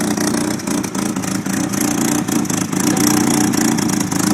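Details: 1993 Nissan 240SX S13 with an SR20DET, on jacks with an exhaust leak, held just above idle: lumpy running with irregular stumbles and misfires. Slight oil overfill while on jacks was later blamed, and injector cleaner fixed it.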